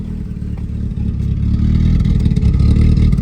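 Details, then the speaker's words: K-swapped Honda Civic, untuned and running rich: a low, even, very quiet idle with a slight rise in level and no knock or rattle, healthy. "It has a good idle to it, and it literally sounds like a Prius. It's so damn quiet."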